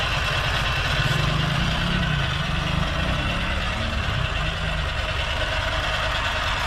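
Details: Toyota Soarer/Lexus SC400 1UZ V8 stalling after sitting a few days: idle steady low rumble that wavers slightly in rhythm, unsettled; suspected sticky idle speed control stepper motor bearings, vacuum leak possible, cause not yet confirmed.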